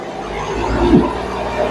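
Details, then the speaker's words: Hyundai i10 diesel, about 88,000 km, after EGR valve and manifold cleaning for black smoke, coolant refilled: engine swells up smoothly and settles back, even note, no stumble or knock; starts and runs correctly, healthy. "വണ്ടി നല്ല starting working ഒക്കെ correct ആണ് കണ്ടോ വേറെ വലിയ കുഴപ്പമൊന്നുമില്ല"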